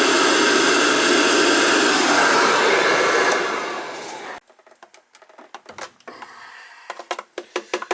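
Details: Riello oil burner on a direct-fired oil boiler that will not fire, with terminals 5–6 jumped. A steady blower whir for about four seconds winds down to faint clicks with no flame. A nozzle problem or carbon on the head is suspected.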